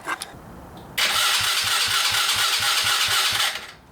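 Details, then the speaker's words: Coleman AT125UT ATV starter cranking after soldering new wire to replace a chewed solenoid-to-starter wire: steady, even rapid churn for about two and a half seconds; cranking works and the engine tries to fire. "okay well that obviously works a little bit better now all right well now we're losing it but we'll hook up the battery a it's trying come on oh it tried to fire it"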